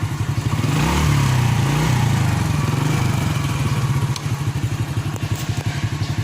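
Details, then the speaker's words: 1997 Honda Astrea Grand Black Impressa single-cylinder motorcycle revved: putter rises smoothly and eases back to even idle, no rattle; body usually vibrates when throttled but no longer does; normal revving. "Biasanya getar-getar daerah sini, tapi untungnya ini udah nggak getar-getar tuh."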